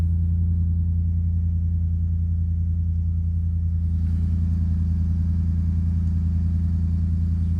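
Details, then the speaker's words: 2014 Ford F150 V8 started after intermediate steering shaft replacement: deep, even burble at idle with a smooth steady beat and no ticks or knocks; healthy idle. "all right so here we will start this bad boy up [Music] sounds like V8 boys"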